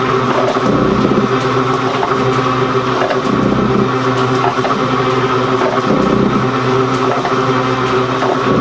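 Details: Gould & Eberhardt 24-inch heavy duty shaper (1912 patent date; owner guesses 1912–1930), just shifted into high speed with the larger pinion engaged, first high-speed run. Steady whir with a slow, loose rhythm of about twenty strokes a minute, no knocks or grinding: normal running.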